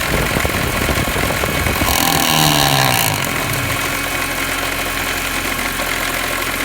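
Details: BMW E46 M3 at idle: steady high whine with a falling tone sweep over the rumble; owner suspects bad alternator bearings, unconfirmed.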